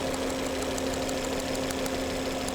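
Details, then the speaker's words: 2011 Volvo C70 with intermittent hesitation and no codes, spark jump test on a known-good new coil at idle: rapid crisp ticking snaps in time with the engine over a steady hum; strong, regular spark. "You can hear the spark happening. That was not happening yesterday."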